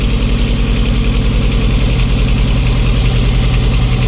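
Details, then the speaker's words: 1988 Jeep Comanche 2.5L Renix I4 after replacing a fouled spark plug: idle still rough and lumpy with a dull stumble every few beats; runs better under power. "That sounds just as shitty as it did before. All right. It was just a spark plug. Maybe. Ah, maybe not. Doesn't sound great."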